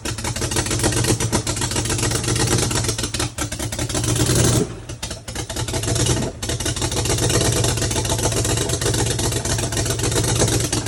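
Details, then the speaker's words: BMW 335i N55 engine being started with starting fluid: rough-running, loose uneven knocking beat from rod knock plus a misfire on a cylinder. "You definitely got a misfire on a cylinder."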